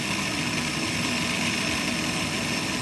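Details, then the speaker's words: Payne furnace inducer fan motor, after WD-40 because it only buzzed before: steady airy whir with hiss and no speed-up; it turns too slowly to light the burner and sticks, so the motor needs replacing. "it's not turning quick enough when it's getting stuck. There it is. So that's the problem right there."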